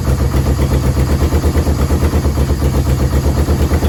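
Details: Yamaha VMAX 1200 that sat about 5 years, cold on choke with a jerry-rigged fuel pump: a low, lumpy, loping idle that struggles to run smoothly. It dies when the choke is off. Owner suspects clogged carb jets and has ordered a rebuild kit.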